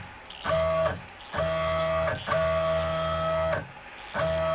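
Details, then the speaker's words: WorkBee CNC router with new TB6600 4-axis parallel-port driver board under Mach3, jogging Z in plus direction after probing to avoid ramming bit into table. Four clean bursts of steady high stepper whine, smooth starts and stops, no skipping or grinding; normal stepper jog. "so if i then move to zed and then double check in my plus sign move because i don't want to ram that bit into the table if i move it in direction"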